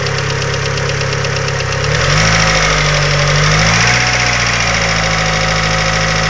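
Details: 2G DSM at idle: light, quick ticking that follows engine speed as revs rise, a noisy hydraulic lifter, later fixed by installing upgraded TOPLINE 3G lifters.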